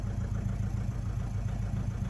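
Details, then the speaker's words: Mazda 6 with a turbo, no fault codes: deep, lumpy diesel idle with an uneven pulse and heavy smoke; running but not right and won't take throttle. Cause undiagnosed. "So we're running, but it's not running right."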